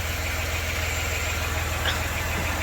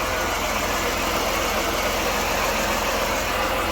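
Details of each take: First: 1993 Dodge Grand Caravan LE, about 166,357 miles, after a new water pump, idler, tensioner and belts, before warm-up: a steady even low idle with no pulley growl or whine, smooth and quiet. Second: 1993 Dodge Grand Caravan LE at idle after replacing idler and tensioner, belt reinstalled: steady gritty whir over even idle, unchanged; noise persisted, AC compressor questioned, water pump began weeping and was replaced.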